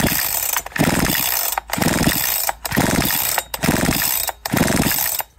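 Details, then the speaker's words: Big-bore Husqvarna 372XP chainsaw with a 272XP pop-up piston, dry-built and turned slowly by hand: a light metallic tap at the top of each stroke as the piston kisses the cylinder head; squish set too tight, tap disappears when loosened. "you can just hear the Piston kissing the top of the cylinder"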